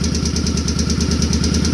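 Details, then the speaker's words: Suzuki Boulevard C50 V-twin after new fuel injector and Cobra FI2000 fuel controller install, warming up: light, even ticking about eight times a second over a deep, steady idle; normal valve tick. "once she warms up that's normal though you don't you don't want to have quiet valves loud valves are happy valves on these [Music] bikes"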